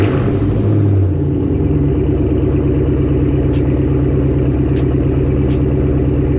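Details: Cold start of a Chevrolet Camaro ZL1 whose blown engine is being revived with an LSA from a burnt Cadillac CTS-V, after a transmission oil change and clutch bleed. Deep, heavy, even idle rumble with no knocks or misses. Smoke suspected from oil in the cats.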